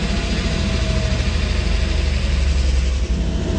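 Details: 1989 Ford Bronco II first start after years stored, new battery, fuel pump heard priming: deep, steady idle rumble holding even without stumbling; oil pressure high 50s, running properly.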